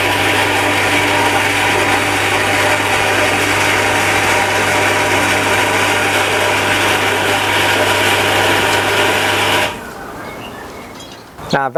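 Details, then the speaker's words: Shimizu Satelit 3-inch submersible pump with APC SC-015E: as water runs out and flow weakens, steady low hum with harsh rattly roar for about ten seconds, then cuts out as the APC shuts the pump off; running dry. "Mulai dari ini yang airnya semakin habis sehingga kemudian dia menjadi berisik. Kemudian air di sini yang tadinya menggerojok dengan deras kemudian dia menjadi semakin kecil alirannya ya."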